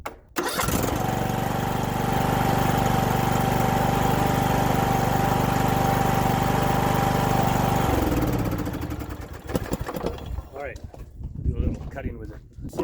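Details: Riding acreage mower single-cylinder engine restarted after clearing a gasoline hydrolock by cranking the fuel out of the cylinder: quick start, then an even, steady run at constant speed with no misses or knocks; running normally.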